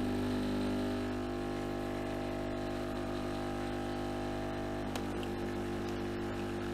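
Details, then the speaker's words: Nivona coffee machine after cleaning the brew unit head, brewing at maximum coffee strength: steady, even motor hum with no straining. A sticking head would make the brewer strain loudly during brewing. A strange sound is still noticed. "Słyszeliście, on się nie pręży. Nic się tu takiego nie dzieje."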